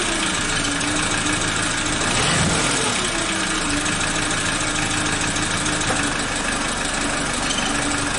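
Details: Suzuki Katana (Jimny) engine restarted after timing belt and tensioner replacement and valve adjustment, with oil level mid-range: steady even idle with a low hum, no knock or miss, no hunting; idling normally.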